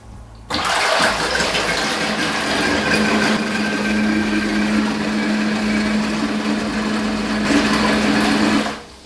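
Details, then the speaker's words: Aiper cordless robot pool vacuum cleaner running in shallow water: even pump hum with steady gush as water flows to one side then the other to move it; no grinding or stutter, operating normally. "So pretty much what's happening right now is the fact that it's flowing water to one side and it's flowing the other side. So that we can move from one side to the other."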